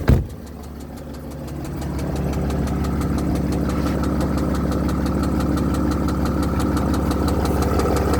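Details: 2007 Mercedes GL320 CDI 3.0 V6 turbo diesel (OM642), 138,000 miles: starts and settles to idle with a steady knock about three a second, which began after a new turbo was fitted; cause unknown.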